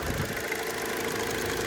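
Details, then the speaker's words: 2002 Hyundai Accent, transverse engine, at idle: steady idle with light, fairly regular tapping that seems to come from something external on the engine; source not found yet, oil change and spark plugs planned. "It's definitely making a weird tapping noise. But it sounds like it's like right here. Like, almost sounds like something right here externally is tapping."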